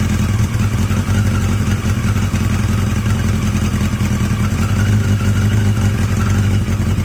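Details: Yamaha XJ750 "Mack" at idle after a carb swap using the XJ650's carbs, filmed outdoors in heavy wind; a steady, even low burble with no misses, knocks or hunting, the best idle yet, sounding healthy.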